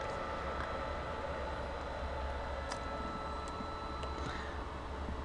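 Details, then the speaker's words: Small TDA2050 stereo amplifier of about 13-15 W per channel, drawing about 70 W with signal driven near clipping: steady low hum from the power transformer delivering heavy current under load. "so when I load down this Transformer I am getting a nice hum there because the Transformer is delivering heavy current"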